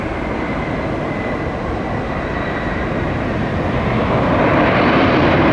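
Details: Jet engine, after a moody start attempt: the engine fires up into a steady, even jet roar that rises slightly toward the end, with no surging or popping, running normally.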